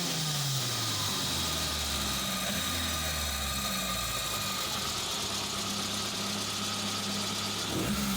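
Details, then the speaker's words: Suzuki Samurai, hot engine, after replacing the fuel pressure regulator for hard warm starting and bad idle: fires first try, settles into steady idle, clean blips; runs smooth, repair appears to have fixed it. "now let's see if it goes from the first try yes that is what we are aiming for"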